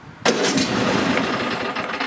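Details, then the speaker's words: Nearly new Cub Cadet XT-1 with a Kohler 7000 series 22 HP V-twin on fresh gas: the starter churns about two seconds with no firing. Hard start/no start; the choke lever is apparently not fully engaged. "it never does that the first try and that's pretty much what you'll get so it's just gonna stop keep trying and maybe it'll eventually start but a brand new machine you know it shouldn't be doing this"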